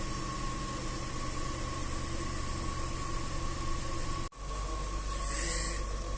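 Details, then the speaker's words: Range Rover 4.2 supercharged V8, after repair for cold misfires and supercharger knock, idle dropped to about 700 rpm during warm-up: steady, even low rumble with no tapping from the supercharger, idling cleanly. "обороту уже где-то 700 не charge не слышно ничего вообще не слышно народ 700"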